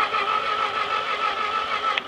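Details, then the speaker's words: Ford 8N tractor that sat 4–5 years, after flipping reversed battery terminals on a weak 11.2 V battery and squirting fuel: brisk, even starter whir with steady whine, no dragging; engine now turns over at healthy cranking speed. "cranking over much faster now so we'll give it another squirt turn key"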